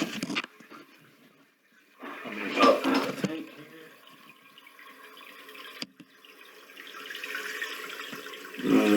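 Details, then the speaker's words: Toilet after Fluidmaster all-in-one kit replacement of all tank innards (was running continuously), water turned back on: soft hiss and trickle as tank refills quickly, louder flow near end; normal refill, no leaks seen. "So the water's coming up pretty quick. Hopefully it will stop."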